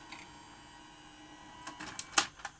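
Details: Grundig 2x4 Super V2000 video recorder after replacing the loading motor drive belt and centring the meander plate: quiet hum, then a quick run of light clicks and clatters as the cassette ejects; clean, normal eject cycle.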